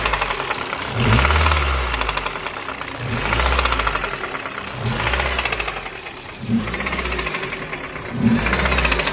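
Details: 2005 Ford Focus 2 pre-facelift, 1.6 Duratec HXDA, about 130,000 km, engine hot: revving up and dropping back with a rough knocking clatter as revs fall; unknown knock on throttle lift-off, appears when warm.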